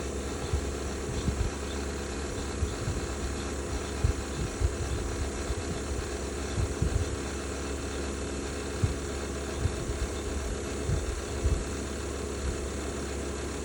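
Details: Bosch BOVB-36HDN1-M20G heat pump outdoor unit, under a year old, recently noisy after being quiet: a steady low hum with irregular low thumps and rough grinding bursts that come and go and change pattern.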